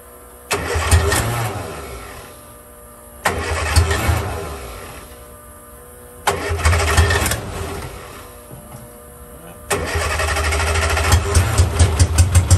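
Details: 1963 Austin-Healey Sprite 1098 with a Weber carburettor, first start in almost a year after spraying fluid into the carb: four tries where it catches, runs rough a couple of seconds and dies. Repeated stalling; owner suspects the Weber needs rebuilding.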